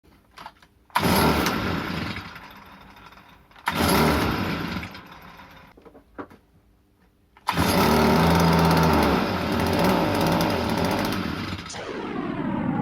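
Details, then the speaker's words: Stihl FS 38 trimmer that won't run properly: catches in short bursts and dies twice, then runs rough and surging, unable to hold speed; a dirty carburetor, which was then removed. "Привет друзья В общем вы сами все видели не хочет нормально работать"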